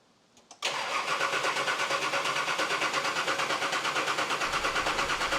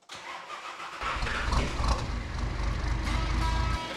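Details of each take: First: Nissan Patrol diesel just fitted with an upgraded 11mm boost-compensated injector pump, primed: steady brisk cranking near three beats a second without catching, no fuel yet from injector lines; owner feared the timing was wrong; long crank, slow to start. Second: Nissan Patrol diesel on first start after the new 11mm boost-compensated injector pump was installed dry and bled: brief crank, catches quickly and settles into an even diesel idle, healthy, showing the pump timing is correct.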